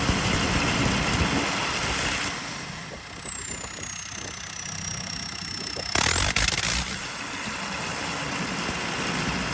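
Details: JCB 220 Ecomax diesel at idle with an uneven, stumbling beat of about four pulses a second that misses now and then; engine misfire.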